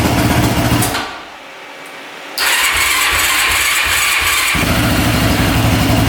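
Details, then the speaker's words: Mostly stock Honda ATV started after fitting a replacement spark plug boot: catches after a short pause and settles to a steady, even idle with no ticking; sounds much better, lights working. "foreign that sounds a lot better lights are working"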